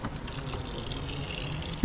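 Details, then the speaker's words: LG Turbodrum washer that would not fill because its inlet hose had been put on the hot-water valve; after moving it to the cold valve, a steady low rush of water with a soft hiss, no buzzing or clicking, shows normal filling. "ya comenzó a llenar recuerden esto pasa cuando se ponen la válvula agua caliente debe estar siempre en Agua Fría para poder que ya trabaje bien"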